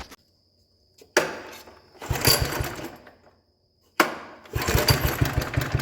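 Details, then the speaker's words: 1960s Toro Professional 70 reel mower single, cold start after clearing plugged sediment bowl, some leakage: two cranks then uneven surging running; runs with fuel shut off but not with fuel on, carb suspected to need rebuilding. "all right so it runs all right with gas shut off if you turn on the gas it doesn't want to run telling me carb has issues and needs gone through"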